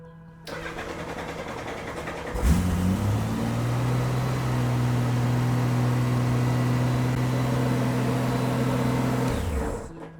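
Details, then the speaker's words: Honda GL1500 Goldwing with a battery run very low that recently needed a jump start and has been hard to start cold: short, sluggish cranking, then the engine catches and runs steadily. Weak battery. "I'm going to try to crank the bike and I want you to take a good listen. If your bike sounds like this, you probably need a new battery."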